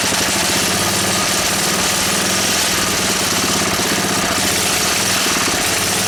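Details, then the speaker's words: Honda E300 small generator, carburettor needing attention, running at steady speed: harsh, busy metallic rattle as its frame buzzes against the fence beside it. "But it works well enough. It rattles on this fence, as you know."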